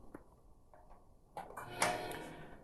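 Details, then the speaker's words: Large IBM PS/2 CRT monitor at power-on: soft thump and brief humming buzz fading over about a second, like a slinky in a cave; normal degauss, and the picture comes up working. "oh degauss i don't know if you could hear that it sounded like uh a slinky in a cave but look at that it's coming up it looks like it's working"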